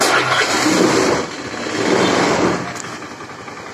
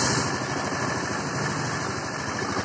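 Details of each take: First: Honda Scoopy FI that smokes white: it catches with a short burst, sags and stalls within seconds. Cause is a badly scored piston and cylinder plus very weak fuel pressure; the fix is replacing the piston. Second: Honda Scoopy FI after piston replacement for white smoke and stalling: even, steady idle with a light quick patter, no misses or knocks; normal idle.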